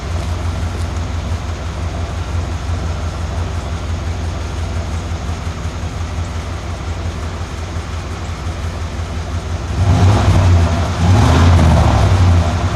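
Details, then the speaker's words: 1991 Cadillac Brougham, muffler installed backwards and upside down with resonator missing, meter near tailpipe: steady idle rumble with even beat about twice per second, then revving swells into deep droning boom; exhaust drone. "that distinctive beat that you see on the the meter I think is would kind of contributes to that droning sound uh going down the ro"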